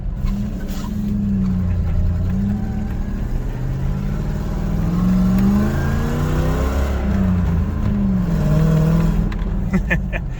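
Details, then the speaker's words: 1989 Toyota pickup with a 1UZ V8 swap, warm, driving after new injectors and plugs (tach reads about double). Revs rise and fall smoothly through the gears with no knocks or misses. Normal engine running under acceleration. "seems we're running great so far oh man she's smooth"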